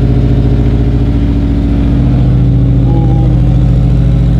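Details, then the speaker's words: Subaru idling super weird at every start with a loud low lumpy uneven pulse; battery keeps dying and is reset by jump-starting, which someone suggested could be the cause; rough idle, cause unconfirmed. "my car's been idling super weird every time I turn it on"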